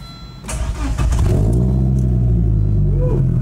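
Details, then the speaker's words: 1996 Volvo 850 winter beater, over 220K miles, started after a makeshift exhaust pipe repair: engine settles into a loud, deep, booming drone with rough low throb and vibration; new exhaust parts needed. "oh God can't deal with that that's way too loud craing this is terrible I'll be ordering some exhaust parts"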